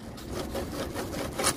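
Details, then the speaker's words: 2013 Ford F-150 electric power steering rack, removed and disassembled: gritty, uneven scraping as belt pulley bearing is turned by hand; rust inside both bearings, greasing didn't help, bearings to be replaced, motor and module good. "now these two bearings making noise because of rust what are gone inside uh here from here from the boat and then it's become Rusty"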